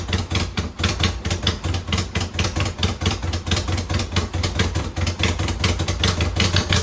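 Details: 2009 Subaru Forester X NA EJ253 with remanufactured OEM heads, second start after engine install: uneven, lumpy idle with a heavy pulsing beat about twice a second, stumbling irregularly; rough running from a vacuum leak, one airbox/intake hose unplugged, another misrouted.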